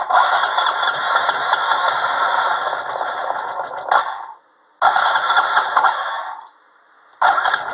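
Engine catches and runs rough and rattly for a few seconds, dies, then refires twice; only running on starting fluid sprayed into the intake.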